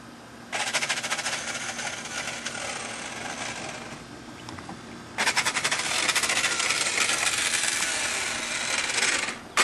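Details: Nissan 300ZX, key turned twice: each time a high, rattly whir spins up with no cranking rhythm. The starter motor had sheared and separated from its housing, spinning freely without engaging the flywheel.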